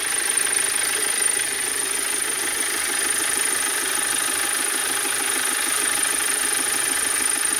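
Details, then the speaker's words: 2010 BMW 520d diesel at idle: steady idle with a thin metallic ringing over the clatter from the rear, stopping when revved; broken engine mount found after other causes eliminated. "motor kulağı kırıkken Gelen sesi dur arkadaşlar başka bir şeyle karıştırmayın sesi bu motor sakın arka planda bir çınlama sesi geliyor"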